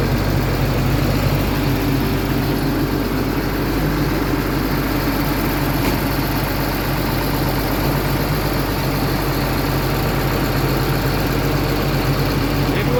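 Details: Cat diesel engine idling: heavy steady low rumble with a faint irregular clatter underneath; abnormal engine noise, later found to be really bad, cause not clear from this clip.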